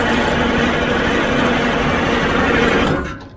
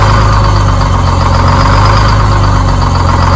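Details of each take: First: Cold Detroit Diesel 6-71 engine, WD-40 sprayed into the intake as a starting aid: steady fast starter whirring for about three seconds with no firing; cranks but won't start. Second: Detroit Diesel 6-71 two-stroke diesel, started after a spray of starting fluid: deep, steady idle with an even low rumble and no misfire or knock. It's running healthy now.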